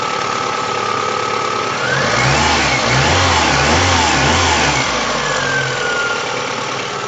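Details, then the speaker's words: VAZ 2109 petrol engine after refitting a new alternator whose loose mounting bolt had caused vibration and a bearing-like rumble: an even idle with a brief rev, no droning or rattle; fixed. "вот теперь заводим дырочку и аллилуйя никакого грохота нет я прекрасно работают"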